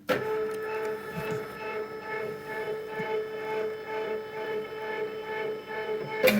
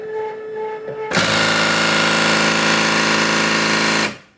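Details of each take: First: Cricut Expression second-hand cutter, carriage homing at power-on: steady mid-pitched motor hum with soft regular pulse as carriage travels, ending in clean stop; normal homing (fault elsewhere: carriage hitting side, owner suspects red-button contact points). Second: Second-hand Cricut Expression cutter with dark panel lights; at power-up the carriage keeps slamming the side with a harsh rattle of about four knocks a second. Its limit-switch contact piece has broken loose.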